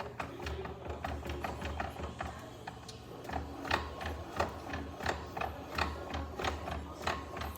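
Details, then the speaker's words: 2024 Honda PCX rear wheel rocked slowly by hand: irregular light clicks and rattles about once a second from a loose part inside the drive hub, not normal axle play; dealer's wheel replacement didn't fix it. "eu sei que essas motos tem uma folga na roda no eixo né mas esse barulho as motos não fazem"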